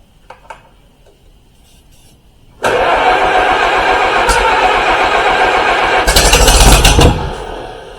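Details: 1953 Allis Chalmers WD45 first start after retiming, gas on: quiet clicks, then engine catches, runs roughly with a throttle burst and fades; hard starting, fuel supply suspected.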